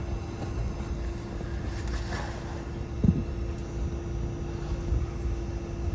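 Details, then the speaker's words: 12,000 BTU mini-split heat pump outdoors at about 29°F in defrost mode, fan not running: low steady compressor hum ramping up, then clicks off. The sequence drew about 1,000 W; normal defrost cycle. "you can still hear it ramping up okay now that just clicked off you can hear the unit now the fan cam so that sequence used about 1,000 Watts when it was doing that"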